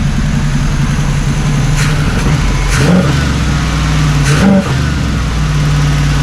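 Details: 1979 Camaro Z28 Quadrajet-carbureted V8, tuned up and warmed, running on all 8, vacuum leaks fixed, idle still slightly high: deep, steady roar swelling as the throttle opens, no misfire or stumble. Normal revving.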